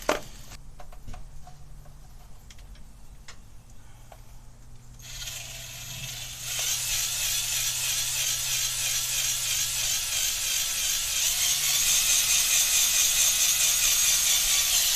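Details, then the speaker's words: 1982 Ford F100 after a camshaft swap, oil pump being primed with a drill turning the pump: whir grows louder and harsher as the drill strains; the pump has picked up oil and oil reaches the top end, normal priming. "Yep, there it is. It's picking up oil now. You hear it draw down really hard."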